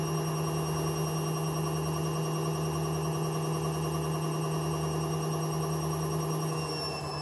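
Loud, constant whine holding one pitch over a low rumble, easing off at the end; classic sound of worn drum bearings.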